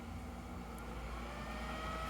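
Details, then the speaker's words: Kingroon KLP1 3D printer mainboard cooling fan roaring at 100% with a steady whoosh and thin high tone; to be capped at 80% and regulated by processor temperature. The power-supply fan hum was cured by lubrication. "цей вже турбореактивна тяга бо на 100% масла А ми поставимо йому максимум 80 і буде регулюватись по температурі"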